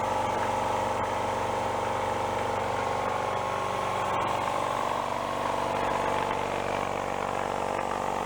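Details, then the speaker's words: Used piston air compressor that had a bad rod knock, after repair with spare parts: runs evenly with a steady pumping beat of about four strokes a second, no knock, no smoke, and no more oil pushed out the breather; normal running. "I think it likes that much better. Not even smoking. Not pushing oil out the breather anymore neither."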